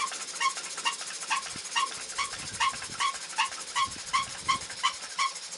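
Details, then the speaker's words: Muncaster table steam engine powered by a 3-inch diameter gas-fired boiler, after topping up with cold water, pressure recovering toward 60 psi: light even exhaust chuffs about two to three per second with faint hiss, engine steadily picking speed back up. "You can probably see now that the boiler gauge is getting back towards 60 and the engine is again picking up. Still steadily picking up speed, as you can hear."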